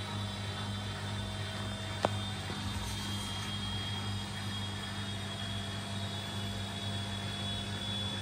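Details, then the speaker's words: Washing machine after replacing shock absorbers: drum spins with an even steady hum, no thumping or shaking, one brief click; spin cycle smooth, vibration and noise gone. "after the replacement there is no more vibration and annoying [Music] noise"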